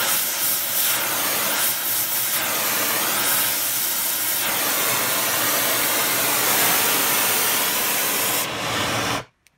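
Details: Steady, even roaring hiss with no popping or sputtering from an oxy-acetylene mixer torch welding, fed by Airproducts Integra cylinders with built-in regulators and flashback-arrestor quick couplings; gas pressures set low by ear, aiming for about 4 psi. The flame burns cleanly.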